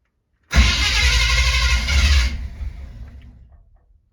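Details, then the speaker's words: 1970 Chevy C20 V8 farm truck, choke not hooked up: a couple of seconds of rough, uneven firing as it tries to catch while cranking, then dies; engine catching during cranking. "you hear that that's a good sign [Music] just give a little pump [Music] the choke isn't hooked up either so it's a little bit harder to start"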